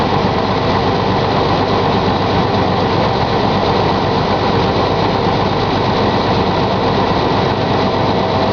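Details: 1999 Chevy S-10 ZR2 at cold start: petrol engine idles with a fast, even tapping knock through its steady drone.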